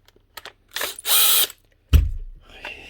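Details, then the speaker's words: Makita DTD154 brushless impact driver before repair, apparently dropped: a short, harsh, uneven whirr with a gritty rub; owner first suspected the armature or a bearing. The needle bearing in the front gearcase has collapsed, and the rotor shows rubbing. "it's a brushless machine so it's not brushes sounds near as if the actual Armature or something's got twisted or wared or something she's definitely rubbing but she's not running through could just be a bearing"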